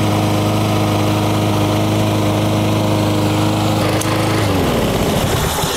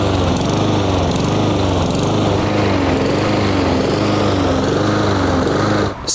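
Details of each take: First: Lawn mower small engine after the carburetor fix (needle valve and float removed, small jet enlarged): holds an even, steady speed with no surging, then winds down. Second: Honda-engined lawn mower surging (hunting), revs rising and falling about once a second, from lack of fuel due to a carburetor issue.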